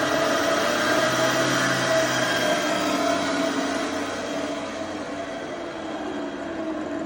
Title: Epic E60L Bad Motor Bearing